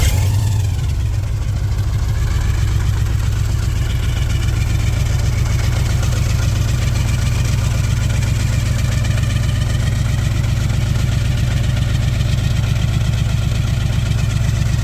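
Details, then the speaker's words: 1968 Chevelle with a junkyard stock 350 and a blower: fires on the first turn and settles to a deep, even burble with no ticking or stumble. Sounds like a plain 350 at the rear, with blower whine up front. Idle is clean. "so car doesn't really sound the best I mean back here it just sounds like a 350 nothing crazy but when you come up front here you can really hear that that blower wine"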